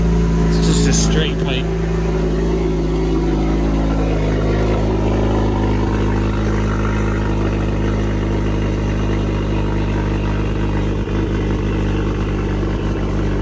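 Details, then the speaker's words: CSRT-4 (Chrysler SRT-4) with cam, newly fitted straight-pipe exhaust and rebuilt rear end; deep loud idle with slightly uneven lope about three pulses a second; normal cammed idle. "You can hear that cam a lot better with the straight pipe."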